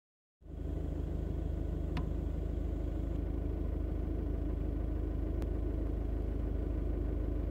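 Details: Car at start-up: engine catches and settles into a low, fairly regular rumble with a faint rattle around three to four beats a second; owner suspects a failing dual mass flywheel, cause unconfirmed.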